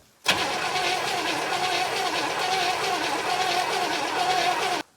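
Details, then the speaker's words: 1964 Chevrolet Impala sitting about 50 years, first crank after Marvel Mystery Oil in cylinders, oil pressure light out, some gas added: steady even cranking with no cough or firing; cranks no start, spark to be checked. "huh so no luck there so maybe we'll pull a plug wire and see if we're getting any spark to anything"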